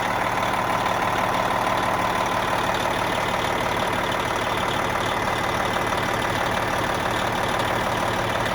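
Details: Cabover truck diesel idling after replacing the shot 1.1-million-mile turbo: steady, even idle with a smooth unbroken rumble, no knocks or surging; running healthy.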